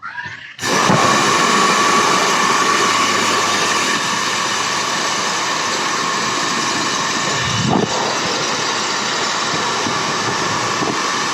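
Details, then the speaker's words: Repaired hair dryer that blew only cold air after broken heating-element coil sections were removed; switches on with a clean, steady rush of air and even motor hum, no rattles or sparking, and heats again: running fine. "Subukan natin assin guys kung magbaga na siya kung iinit na yan Sana gumana guys sana gumana ag hindi gumana"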